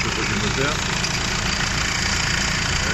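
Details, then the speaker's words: Nissan Navara D40 diesel idling after battery and brake warning lights came on and headlights dimmed while driving; a bearing noise present for a few days, faint steady whirring over rough drone: alternator bearing noise, alternator then replaced. "donc là j'avais un bruit depuis quelques jours de roulement"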